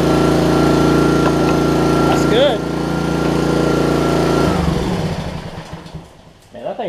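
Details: Troy-Bilt 2600 psi pressure washer with Honda GCV160 engine, after carburetor replacement and fresh gas, choked start, briefly run without water: steady even single-cylinder speed, constant tone, then shut off and winds down; healthy, no fuel issues.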